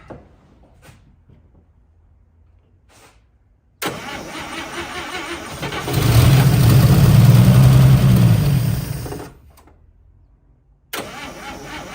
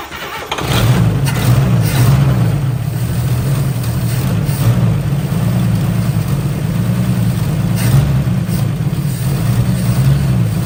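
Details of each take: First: 1955 Chevy Two-Ten parked 40 years, cranking with fuel rigged and pump primed: long even cranking bursts about four per second that never catch; fuel pump not pumping. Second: 1955 Chevy Two-Ten coupe parked 40 years, given a jump pack and starting fluid: brief crank, catches within a second and settles into a steady, even low idle with no misfire; normal start and idle.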